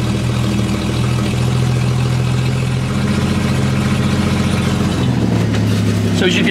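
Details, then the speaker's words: 1954 Chevrolet 3100 half-ton pickup, original 235 cu in 3.7 L straight six, 6-volt, three-on-the-tree; cold start, compression 110–120 psi on all cylinders. Steady low idle with a puffing blow on each beat from a holed, leaking exhaust; no valve noise. "can hear the exhaust but that just turns Idols lovely"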